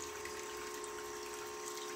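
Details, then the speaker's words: Aftermarket bilge pump newly installed in an Argo 8x8, emptying a day's worth of rainwater within minutes: a steady electric motor hum over rushing water, with no surging or rattling. The pump runs normally. "sitting out in the rain for a full day so this is emptying in a few minutes so I think this will be certainly good for emptying the bilge"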